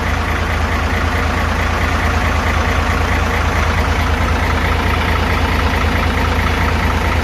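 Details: Hino FG8J truck, J08E six-cylinder diesel, 600,000 km, valves never adjusted, idling before adjustment: steady loose top-end clatter; clearances up to 0.50-0.60 mm vs 0.30 intake/0.45 exhaust spec; high fuel use, poor power.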